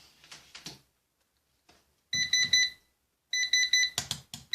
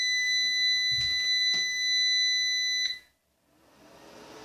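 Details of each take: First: Orvaldi INV-12-840W Home UPS (error F05, no 220 V output) first powered after replacing shorted IRF3205 and KGF75N65KDF transistors; 220 V output appears but the alarm beeps in groups, cause uncertain (suspected low battery, fans or temperature). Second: Orvaldi INV-12-840W Home UPS after an F05 repair. A steady high buzz for about three seconds, then it carries a 40 W lamp on battery and switches back to mains charging. Inverter works normally, though the fan makes an odd buzzing.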